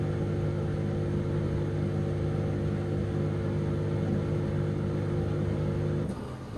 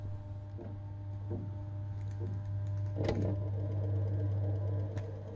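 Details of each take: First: Dishwasher idle over two years, first cycle emptying leftover water from the tank; steady low hum of the small pump running evenly with no knocks or grinding, then cutting off; drain pump works normally, while the wash later fails to happen. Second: Dishwasher at end of clean-water fill when wash pump should start: steady low electrical hum, faint ticking, no spin-up; pump motor powered but likely seized by limescale buildup, no washing occurs until the appliance's protection cuts it off.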